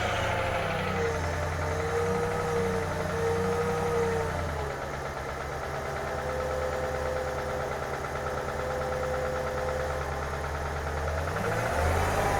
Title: Range rover vogue L405 2013 Engine Knocking (Upper Right) Side